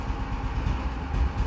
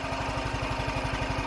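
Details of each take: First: see if she'll take some throttle little cold come on BBE Second: Cold start on a warm day with choke on after a few pops; quick, regular single-cylinder thumping beat, even and unbroken with no misfires. Clean normal idle.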